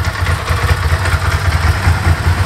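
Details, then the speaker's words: Bimota DB4 ie, about 10k miles, after brief warm-up on choke/fast idle: lumpy, even twin-cylinder idle with light Ducati dry-clutch rattle, steady beat; runs normally in standard form. "sounds well in standard form everything works"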